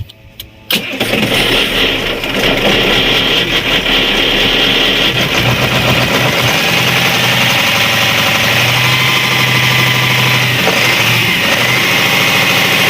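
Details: Cat 3208 starboard marine diesel after repairing the plunger and barrel, which had stuck from corrosion after 18 months: a short crank, then it fires and settles into a loud, even diesel clatter with no misses. A clean start and steady idle.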